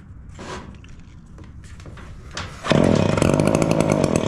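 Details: Echo PB265L backpack blower two-stroke after service (old carburetor had been flooding, wet plug and air filter; new NGK BPM8Y plug fitted): a few handling clicks, then it catches near three seconds and holds a steady high buzz; normal running.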